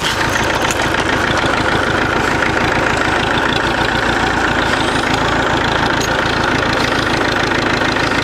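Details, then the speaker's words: Massey 65 diesel tractor (M) on a cold December day around -2 to -3 °C, moving a log splitter: gruff, clattery idle with a steady rhythm of about three beats a second, no misses or knocks; keeps on pouring, normal running. "Those old M is a good tractor. She just keeps on pouring there."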